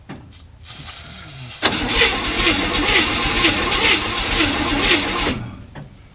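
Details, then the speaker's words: 1967 Chevy C10, 327 V8 with 11,200 miles, sat since 1985, dried-up fuel system, timing moved closer: starter grinds about four seconds with uneven, labouring rhythm, no catch, sounds worse; cranking no-start, battery, timing or lack of fuel suspected. "Think that's battery? Do what? Do you think that's battery or timing? You know? I think it's just not got enough gas."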